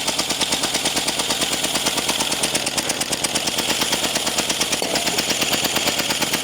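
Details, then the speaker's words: Early-1950s David Bradley walk-behind tractor engine, sat 20+ years, with reused head gasket and poor carburetor: loud, uneven popping at about three beats a second with a harsh clattery top end and screeching. A bad bearing or leaking head gasket is suspected. Rough running. "cool it's running didn't like that screeching sound though that sounded like a bearing was very unhappy"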